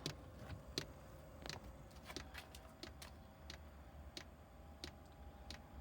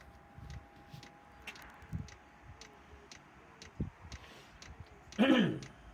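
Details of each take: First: Chinese diesel air heater on old controller during pre-warm-up: quiet, sharp, slightly uneven ticks about every second as the fuel pump pushes tiny air bubbles along the fuel line; normal fuel pump ticking at start-up. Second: Chinese diesel air heater starting up on old controller, tiny air bubbles passing through fuel line though fittings are tight: light, steady tick about twice a second over quiet background; ticking cause unconfirmed.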